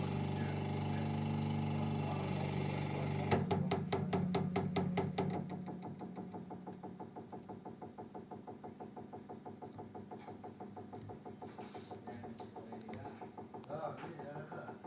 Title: radiator ticking noise